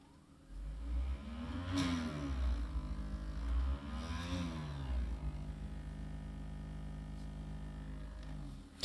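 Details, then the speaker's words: Scrapyard HP IDE CD-ROM drive, second attempt reading a CD: a loud rumbling hum with whirs sweeping up and down as the entire drive moves. It reads the autorun, but the cause is unknown and the drive needs opening. "so yeah something is definitely not right here let's try this one more time it moves the entire Drive is"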